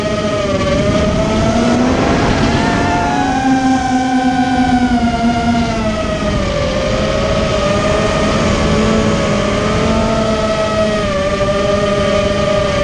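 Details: Immersion Vortex 250 Pro motor test run after an attempted fix of previously noisy bearings: small electric motor whines steadily, pitch wavering gently with speed, no grinding or rattling from the bearings; one bearing barely warm. Normal motor run.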